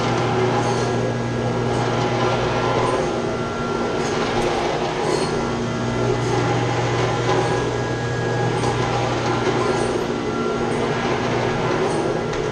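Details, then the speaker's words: Chiller's chilled-water pump shaking badly, with its copper lines shaking too. Loud steady low hum with a rough churning roar. The strainer needs cleaning out, and there is also a leak. The fix is to shut down the chiller and pump and clean the strainer. "Say it's shaking bad in the pump. Making a lot of noise. You see it's shaking. What's happened though, they got a strainer right here. This needs to be cleaned out."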